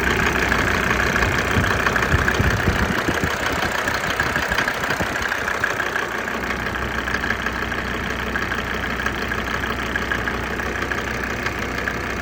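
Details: Mercedes OM605 diesel at idle, outside about 17–20°C, steady clatter around three knocks a second starting about 2–3 minutes after the glow plugs switch off, worse in cold weather; cause unknown, unresolved.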